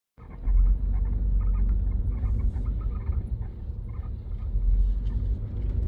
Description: It only happens when the car is moving or if I push the car up and down when parked. It sounds like its coming from behind the seat on the inside.